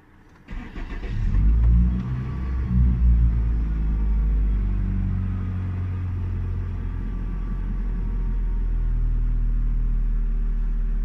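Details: Hyundai Sonata six-cylinder with high, rough idle: engine catches, flares, then settles into a deep, slightly uneven idle from an intake air leak through a broken intake hose; fixed by replacing hose, throttle body programming.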